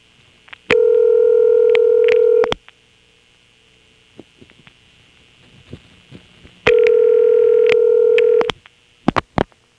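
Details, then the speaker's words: March 1977 Carolina Telephone step-by-step office with ESS tones, Washington NC: callback circuit dialed so a local call rings, then extra digits put reorder on; two long ring bursts about four seconds apart with fast clicking reorder pulses superimposed. "an example of getting a number ringing with a reorder on top of it"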